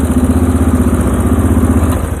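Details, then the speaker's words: Moto 4 ATV being restored, carburetor mixture screw turned out a further quarter turn to richen: the single-cylinder idle thumps along with an occasional stumble, a miss appearing once richened. "Oh, got a miss there."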